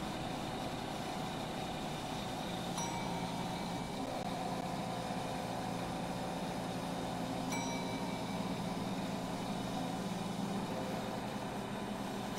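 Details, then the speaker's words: Two old gas pumps, a clock-face pump and a Gilbert & Barker 80, running together and pumping diesel: steady, even motor hum with a faint high ring and occasional light clicks. Both pumps run normally. "it seems like the clock face pump pumps faster because I can't keep a barely keep up although the GNB ad has a bigger nozzle larger diameter and it's flowing real well"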